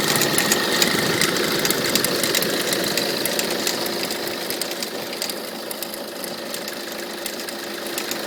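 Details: Peugeot 307 HDi 2.0 90 hp diesel at idle: sharp regular tap about three times a second over the clatter; owner suspects the alternator, its pulley or a tensioner roller, not confirmed; knocking noise at idle.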